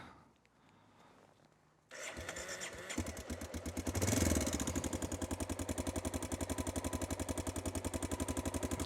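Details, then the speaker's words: Honda Dominator 650 single on a cold start after a shop repair: catches on the starter, then an uneven mechanical rattle over the thump. Chain was replaced, but the owner suspects the cam chain tensioner wasn't; the rattle later snapped back quiet. "यह बिल्कुल वैसा ही है और यह उसी तरह से शुरू हुआ जैसे पूरे दिन वह पहले से ही खड़खड़ाहट की तरह थी कभी-कभी आप जानते हैं कि जब नीचे प्रकट होता है तो मुझे लगता है कि टेंशनर हमेशा वापस तड़क रहा था"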